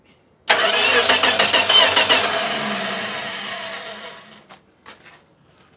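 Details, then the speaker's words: 1965 Plymouth Valiant, 170 Slant Six with three-on-the-tree, engine reportedly rebuilt around 2000, cranking freely after a starter fix at about three beats a second for four seconds without catching; normal cranking before first start attempt. "so now we have an engine that turns over now we're gonna see if we can actually get this thing to start that would be fantastic"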